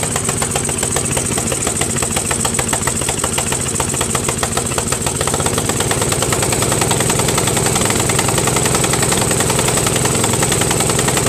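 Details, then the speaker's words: Craftsman 13.5HP mid-engine riding mower with a replacement single-cylinder engine, new starter, battery and key. It thumps unevenly at about three and a half beats a second and hunts rather than settling, sounding worse than before. Rough surging idle, cause undetermined. "now man that sounds worse than before you know well I don't know fellas this tractor is gonna be the death of me I can't figure it out"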